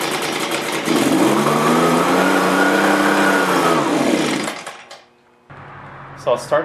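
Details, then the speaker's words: Echo PB-265L backpack leaf blower, like-new: two-stroke revs high, then sags and dies after four seconds; runs only on choke and is hard to start, blamed on a faulty carburetor. "as you can see it'll run for a while then just cut out quickly it's really hard to start though too so that's all that's happening with it it will only run on the choke and then it'll rev up and then quit all of a sudden"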